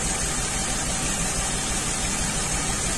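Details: 2003 Ford Windstar 3.8 V6 idling rough: uneven low pulse about three times a second, a misfire with very weak spark at cylinder six from a faulty ignition coil; plugs and wires previously replaced.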